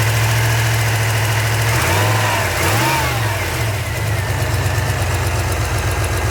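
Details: 383 stroker V8 in a truck idles with a steady low rumble and a brief rev dip and recovery while warming up after repair; small exhaust leaks noted, owner thinks fuel pressure may need raising.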